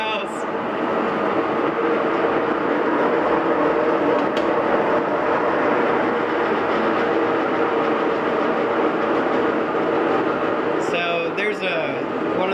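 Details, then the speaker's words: GE washing machine, about two years old, run empty: incredibly loud steady roar like a freight train through the high-speed spin, already loud during balance spin; owner blames a failed bearing in the drive, which one not yet found. "well here it goes it's incredibly loud it sounds like a freight train is going on in the house"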